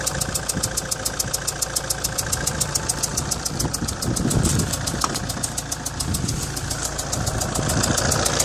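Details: 2004 Alfa Romeo 156 1.9 JTD 16v MultiJet diesel at idle: sharp, fast, even ticking about 3.5 per second, chuffing like an exhaust leak, from a leaking injector seal on cylinder No.2.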